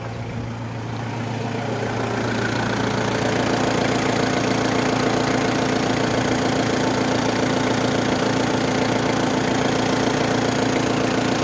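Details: Mazda Fighter diesel after injection pump replacement, first start with air still in fuel, glow plugs heated 3-5 seconds; steady idle with even clatter about three and a half beats a second, no misses or knocks: runs smooth and healthy.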